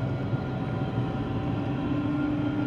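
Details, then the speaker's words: 2013 GMC Terrain driving, whining roaring noise from the front, unchanged when loading and unloading wheels, sounds like a bearing; low steady roar with faint constant hum, traced with chassis ears to the transfer case. "I'm a whining roaring type noise and I can load and unload the wheels and it doesn't change it one bit it sounds like a bearing"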